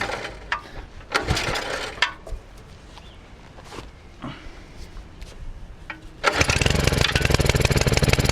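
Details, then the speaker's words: Belle 150 petrol cement mixer with Honda G100 engine, standing for years and wouldn't start, after repair with carburettor bolts slightly loose: small single-cylinder catches and settles into steady even run, no misses; normal running. "right well it works which it didn't do before"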